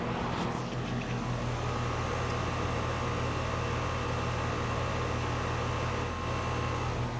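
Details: Home A/C condenser running after a rebuilt sound blanket was installed: steady low even drone, no knocks, rattles or rising tone; running smoothly and normally.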